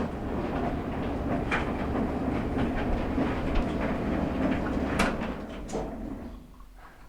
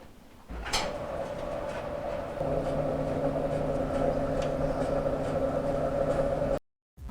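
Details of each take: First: Maytag LDG8426AAE gas dryer on startup: steady low rumble with uneven knocking about three to four times a second; blower wheel spinning freely, loose on the motor shaft. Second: Maytag LDG8426AAE gas dryer after blower wheel repair (complaint was a rumbling noise at startup): motor spins up into a steady, even hum with a smooth tumble, no scraping or thumping; dryer now runs normally.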